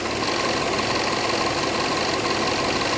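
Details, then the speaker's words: Jaguar, supercharged 3.0 V6 with direct injection (per title a 2012 Corvette), idling: busy ticking plus a loose, intermittent rattle beyond normal injector tick, judged not normal, cause unclear. "Yeah, you hear that? Kind of a rattling noise. That's not normal. I mean, the direct injection is one thing, but there's this kind of intermittent rattle."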